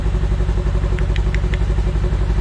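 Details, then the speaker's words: Segway Villain side-by-side at about 10 degrees after replacing leaking primary clutch engine seal: loud but steady regular idle thump, no knocking or grinding; running fine, naturally noisy machine. "Other than that, the unit's running fine. Sounds good."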